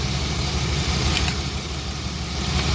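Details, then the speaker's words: BMW E36 with transmission limp-mode issue, after swapping ignition parts between cylinders to trace a fault: low lumpy idle with uneven stumbling pulse, one cylinder seemingly not firing; cause suspected, not confirmed — misfire at idle. "cool good and misf fiery so now it should be this one that doesn't make a difference"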